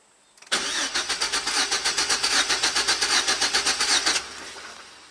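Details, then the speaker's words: 2006 GMC Sierra 4.3 L V6, 2WD, died after running rough; owner replaced cap, rotor, plugs, wires: starter cranks evenly about four beats a second, never catches; no spark control at the ignition coil, ignition control module suspected. "so now when we crank it will we see anything absolutely not so we have no spark control at the ignition coil"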